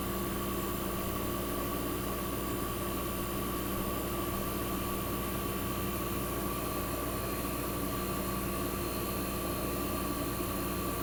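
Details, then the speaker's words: 1965 Fedders Weather Wheel air conditioner warming up after cold start in a cold shop, condenser fan cut off with only the evaporator fan running, as in a defrost cycle, building head pressure: constant even drone and fan rush; compressor sounds fantastic, normal. "Sounds absolutely fantastic."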